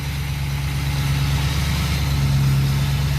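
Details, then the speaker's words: Pickup that once misfired from two dead injectors, now running rebuilt injectors from an 06, at idle and revved. Deep, even rumble with no stumble or hesitation; normal idle, unlike the misfiring flatbed. "yeah this one runs awesome i'll give it gas oh yeah that what a difference it is man [Music] this one runs so much better than the flatbed"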